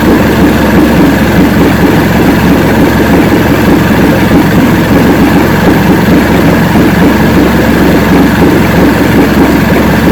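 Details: 1970 85hp Evinrude two-stroke outboard with hydroelectric shift, 50 years old, new water pump impeller, idling in neutral in a water container: loud even low burble, no misses or knocks; carburetors judged good at idle, full throttle on boat untested.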